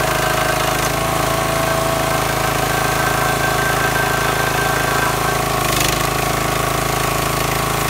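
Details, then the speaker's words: Brand-new wood splitter engine that quit from water-contaminated fuel, after draining and flushing the tank and refilling with clean fuel; steady loud even drone with no sputters or misses; normal running. "now you can hear the splitter running it's not spammering and missing like it was before"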